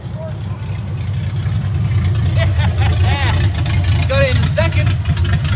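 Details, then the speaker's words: 1982 Toyota FJ45 with freshly rebuilt 1977 2F engine (new rings, bearings, shaved head, new carb, headers) and H55F 5-speed, pulling away on its first test drive; deep, even drone builds gently with no knocks or gear whine; running normally. "I think at one point so you know seem to go through the gears just fine"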